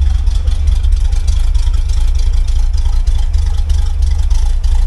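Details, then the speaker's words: Chevy 350 V8 swapped in for the old Dodge engine in a truck, unfinished for about seven years, running on old stale gas: deep V8 rumble with an uneven, lumpy pulse and no steady rhythm; rough running expected from the old fuel. "old gas it's a little bit cranky but that's okay it's expected"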